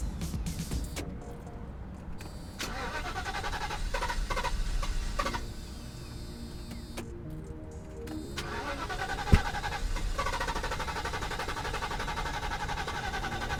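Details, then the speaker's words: Mercedes 500SEL that sat since 2008, died at an intersection: starter churns in repeated bursts but engine never catches; owner suspects pumps or a piece of timing chain guide found in the pan, not confirmed. "i don't at either the pumps or maybe that was a piece of the timing chain guide that was in the bottom of the pan she doesn't want to start"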